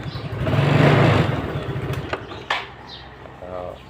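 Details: Yamaha Fino scooter that died while riding, likely after a pothole jolt knocked the carburetor boot off the intake; after refitting it and strapping it (bolt broken): single catches with a quick burst, settles into steady even idle; running normally.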